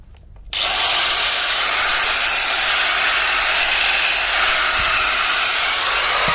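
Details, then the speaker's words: 4-inch angle grinder after repairing a cut, sparking blue wire: clean spin-up to a steady high-pitched whir with no stutter or grinding; grinder running normally. "तो दोस्तों इसका यही wire का मसला था, ये भी हमारा हो गया है।"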